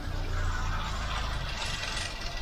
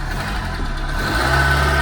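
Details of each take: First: Ford Mk5 Cortina 1.6 GL Pinto engine, cold, ticking over on choke before Accuspark ignition tune-up: uneven, lumpy idle that stumbles instead of holding steady; rough idle, cause not yet confirmed. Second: Ford Mk5 Cortina 1.6 GL Pinto engine, after fitting an Accuspark distributor, first start after a year stored: catches within a second and settles to a steady, even idle with no stumble or misfire.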